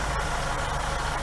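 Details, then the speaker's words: 1964 Buick Riviera V8 after carburetor idle mixture screw adjustment. Idle lowered to about 800 rpm, now a steady low burble with even firing and no lope or misfire. "See how much smoother it is? Now I'm able to get it down to 800."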